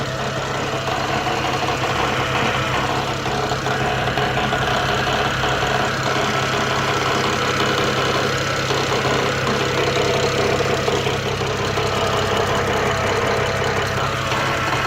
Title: N54 engine noise